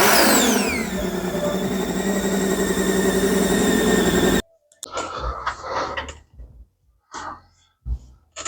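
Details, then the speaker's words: Supercharged Sea-Doo engine in a ProForce stand-up jetski, first running after wiring harness setback: strong even note, whine falling as revs drop, then shutdown; smooth running, no misses or knocks. "So yeah, what's next, right? But it sounds good."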